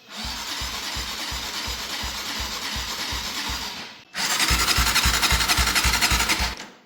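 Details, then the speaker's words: Abandoned Gilera motorbike left in a field for years, electric starter cranking with easy start: steady churn about four compressions a second, two long bursts that never catch; cranks but won't start, suspected no spark from a rusty spark plug, unconfirmed. "I don't think she's sparking. No, I think that spark plug's a bit too rusty. Okay, so this thing is frying us right now because we're not finding a spark."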